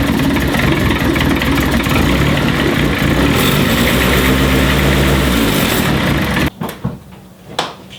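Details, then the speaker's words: Turbo Honda CRX D15/Y8 after swap to a Delta 272-2 regrind cam, valve lash set, first start: lumpy uneven idle for six seconds then cuts out; cam timing likely off, needing adjustment. "Okay. I may need to adjust the cam timing."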